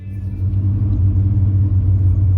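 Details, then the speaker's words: Truck at idle after exhaust manifold work, warming up with temperature slowly climbing: deep, uneven idle rumble with a wavering low throb; rough idle that worsens as it warms. "it's idling and it's it's temperature's climbing it's not getting real hot but it's climbing slowly almost up to where it should be okay gang we are in the truck it is running it is idling right now it wasn't idling very well yesterday and it's starting to warm up and that's when it starts"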